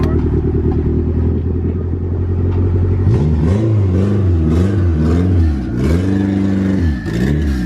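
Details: Honda Integra with a B20V turbo engine, sitting long unused, revved several times. Its rough, uneven note stumbles and clatters as it misfires, and it is smoking. Piston damage is suspected again.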